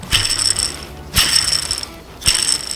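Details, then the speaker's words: Toyota Tacoma idler pulley removed during belt replacement, spun by hand next to the microphone: gritty, rattling whirr fading over about a second; worn idler bearing needing replacement, new one is quiet. "as you can see it's pretty loud this one definitely needs to be replaced"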